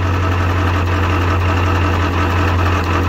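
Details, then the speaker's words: 7.3 Powerstroke diesel truck, after glow plugs cycled: a steady idle carries a dull metallic rattle from the bell housing area in neutral that quiets in drive or reverse. The owner suspects a transmission issue. "not sound good however I put it in gear that noise goes away that's neutral reverse quiets down again back to neutrals noisy and nasty again"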